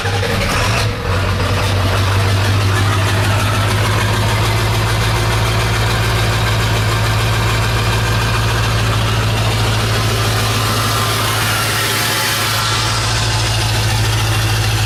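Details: Ford PowerStroke diesel truck idling after a fuel pump replacement, having sat unrun about two weeks: a steady, even, low diesel clatter with a smooth idle and no misses or knocks. The gauge shows fuel pressure, no leaks; running healthy.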